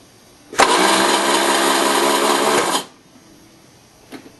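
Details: VW pickup with starting trouble: steady starter whir for about two seconds, then it cuts off with no firing. Cranks without starting.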